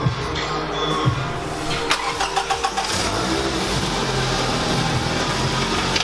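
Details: Scion tC with newly installed replacement engine, first start (threads on a rusted fitting chewed up on reinstall): cranks briefly, catches and settles into an even, steady idle with no knocks or rattles; normal start and idle, healthy.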